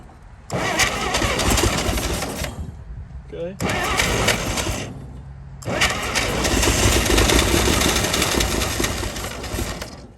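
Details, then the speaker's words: 1937 Chevy truck, abandoned about 45 years, cranks in rough bursts with pauses, then catches and runs unevenly on its own on ether after cooling down; carburetor froze up from running on ether so long, but it runs. "okay we're getting somewhere with it woo she runs the carburetor froze up from running her off the old ether that long but she's a runner"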